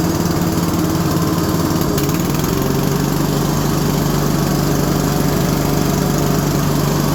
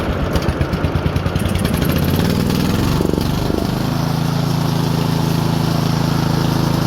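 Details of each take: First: Single-cylinder engine on a garden tractor mower after deck and drive belt repair, first test run; steady but lazy low-pitched running, governor set too low and about to be turned up: low governed engine speed. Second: Lawn tractor engine after moving the governor spring over one hole, targeting about 3600 rpm: uneven chugging climbs, then settles into a steady, even drone; proper governed engine speed.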